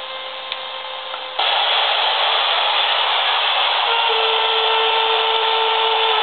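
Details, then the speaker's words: AM radio picking up a laptop's electromagnetic interference: static grows louder when the plugged-in, standby computer is switched on, becoming a harsh buzzing rasp with steady whistles as it boots, noise reaching about 4 ft out. "the computer has reached its startup screen it's very very noisy and that noise is extending out of this machine by about 4 ft"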